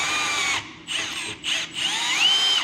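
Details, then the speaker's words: 1960s Buick Nailhead V8 in a 1934 Ford chassis, unrun for about 40 years, oil pump being primed with a drill-driven primer kit: steady high drill whine in bursts, pump turning smoothly, oil reaching the top; normal priming, no knocks. "what I'm going to do is just keep cranking this thing over until we get some oil coming out up here cuz that's the last place that gets oil right the very top"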